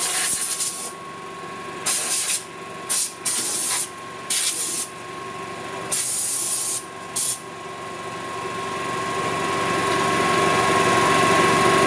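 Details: 1999 Club Car DS gas golf cart after a carb clean, fuel pump replacement and a flush of cloudy contaminated fuel: a steady engine note under short hissing bursts, then a clean, even rise in pitch as it revs. It runs smoothly.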